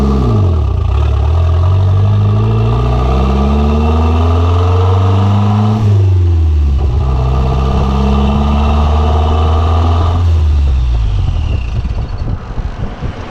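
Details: Conquest turbo (G54B) on a road drive after leaning out on the MAF-T: revs climb in rising sweeps, then sag and stumble before dying off; cutting out under boost, fuel pressure seemed to drop, cause unconfirmed.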